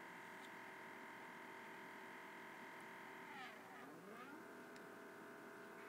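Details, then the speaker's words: Normal stepper motors driving a home-built CNC router's X and Y axes with an easy-cnc controller and KCam software, step rate set as low as it goes; a steady multi-tone whine slides down and back up as each axis reverses between cut lines. "not sure if you can hear the stepper Motors moving in the background as it runs the lines back and forth lifts up moves over drops"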